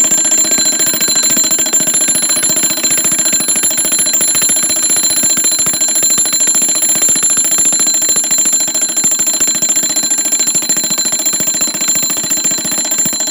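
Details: Seth Thomas automatic 8-day long alarm clock, model 89 movement, alarm going off before being silenced by the lever: rapid steady metallic ringing, even pace, no skips or sticking; normal alarm bell ringing.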